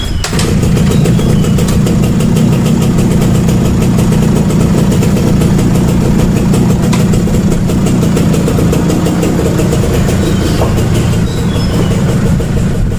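Steady, even two-stroke idle with a constant buzzy note and no stumbling or hunting; the carb's idling cleanly now.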